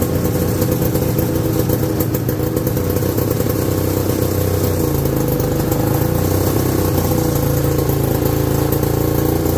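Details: 1969/70 Sears snowmobile, single-cylinder Kohler two-stroke, sat outside a year, first run after revival: ragged, uneven idle burble with slight speed hunting; owner says it's sucking air, running lean.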